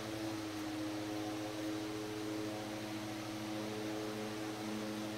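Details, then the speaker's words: 100-plus-year-old restored Century S-3 Model 15 desk fan on speed 2, wall power about 123 volts, little difference from high: smooth steady hum with clean tone and air rush, no ticks or rubbing; normal running. "There's not a lot of difference at this voltage. That's another reason I like using the dim bulb tester on it."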